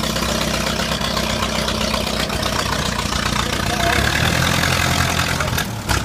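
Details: 1952 Ferguson TED tractor, first start after 40 years in a field: engine chugs with a steady, even beat, no knocking or misfiring; starts easily and runs sweet.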